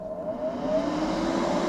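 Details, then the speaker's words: Vent fan installed in a wooden box in a DIY kei-car camper conversion: steady loud whooshing roar with constant mid-pitched hum; a viewer suggested resonance inside the box, with a hollow rubber sheet between fan and wood. Loud fan noise. "Sie macht ein lautes Geräusch. Ein Zuschauer meinte, das Geräusch würde sich verringern, wenn wir die Resonanz im Inneren der Box beseitigen würden."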